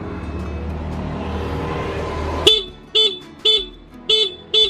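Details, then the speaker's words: Honda Beat scooter horn, originally very quiet, after its rear adjusting screw was turned to find the loudest setting: five short, sharp, strong steady high toots; horn now loud and working. "Suaranya udah keras Coba kita kencengin lagi"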